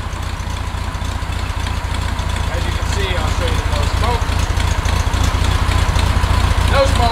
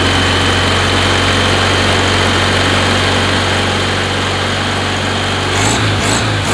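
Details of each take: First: 1969 Volkswagen Beetle after replacing NGK spark plugs with correct, gapped plugs, choke partly on at first: deep, steady, even thrum with no stumbles or misses, no smoke; engine idling smoothly. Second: 1969 VW Beetle air-cooled engine before changing to correct-heat-range spark plugs: slightly uneven, lumpy idle with occasional stumble, skipping and coughing, won't take full throttle; rough-running misfire, plugs suspected.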